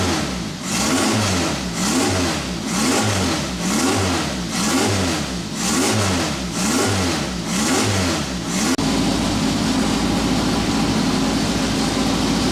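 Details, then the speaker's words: Van Diemen RF96K Formula Ford, first start of new engine on running-in oil: sharp throttle blips then steady even idle, slightly smoky from old oil in muffler, crisp, responsive, good oil pressure; normal running. "I can't tell you how good it is to actually hear that thing running. A little bit smoky, it's got probably a little bit of old oil or whatever in the muffler. It's just burning that out, but it sounds crisp, oil pressure's mint, it's very, very responsive."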